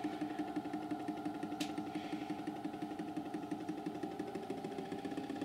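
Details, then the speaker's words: Hornby model train drive car on dirty track without sound: regular ticking about three a second over the steady motor whine that speeds up with speed, like something revolving and striking; drive shaft universal joint not seated in the gearbox. "hopefully you can hear that it sounds like there's something revolving and hitting something"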